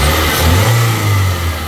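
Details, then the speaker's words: 2001 Toyota Corolla 1.8 with P0301 cylinder 1 misfire, after fixing an air intake leak and old spark plugs: steady even rev, no stumbles, but it intermittently still acts up. "todo lo raro que este motor se oye bien bien parejito es Ah a decir que de un al 10 ahí va más o menos ahí ahí está trabajando bien es"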